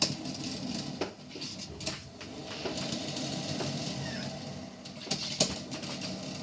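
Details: Hamilton Beach stainless steel 12-cup electric percolator model 40614R heard from about 3 feet away during its roughly 8-minute brew; irregular soft pops and gurgling bursts with sharper spits every second or so, brewing normally.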